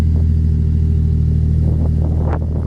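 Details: Turbo Falcon six-cylinder idle after replacing the spark plugs and fixing a loose coil pack to cure a misfire: deep, even idle with a steady low rumble and no stumble or skip; it runs smooth now.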